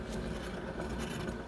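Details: Mitsubishi Eclipse GSX with 250,000 miles, passenger-side wheel spun freely before the bearing replacement: steady gritty rumbling scrape from the worn wheel bearing; silent after the new bearing was fitted.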